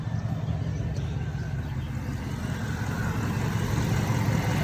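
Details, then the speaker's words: 2001 Cadillac DeVille, engine cover back on after EGR valve replacement, MAF sensor and dirty throttle body cleaned for P1404: low, smooth, steady idle rumble with no stumble or hunting; sounds better, normal idle. "oh I think it sounds better let me know what you guys think in the comments"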